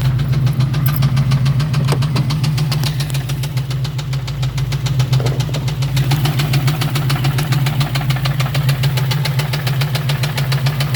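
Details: 1999 Ford Mustang GT, 4.6L 2-valve V8 at idle: light, fairly quick tapping about three or four a second over the low rumble; owner suspects a rod going out, unconfirmed engine knock.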